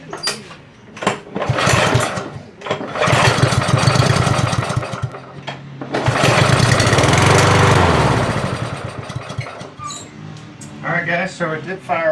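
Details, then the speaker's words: Ariens push mower that wouldn't start after long storage; starting fluid sprayed into the carburetor with the choke butterfly held open, it fires in short bursts then dies, showing okay compression and spark, so likely a dirty carburetor clogged by ethanol fuel. "that means it has okay compression it's got some spark so it's most likely a a dirty carburetor"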